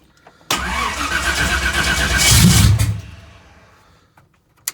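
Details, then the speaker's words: Engine on a very cold day, battery only partly charged after the generator died: the starter cranks slowly at about three turns a second for two seconds, then fades without firing. Weak battery. "that's all we got the battery's about dead like I said it is really cold"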